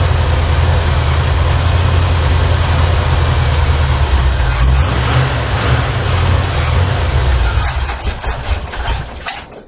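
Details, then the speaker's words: 1981 Chevy Malibu Classic barn find, a 355 small-block V8 with Edelbrock intake and 600 carburetor, first start after 3+ years sitting, runs lumpy about eight seconds then sags and dies; owner suspects bad gas in the tank. "it had some bad gas in the tank I thought I ran it out"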